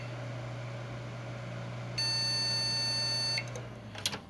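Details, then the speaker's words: PC with no video signal, after swapping in another RAM stick in the same slot: the same warning beeps, heard as one long high steady beep over room hum, so the memory slot is judged faulty. "como pueden escuchar nos están mandando los mismos pitidos entonces eso quiere decir que nuestro slot tiene algún fallo y obviamente por eso no la reconoce"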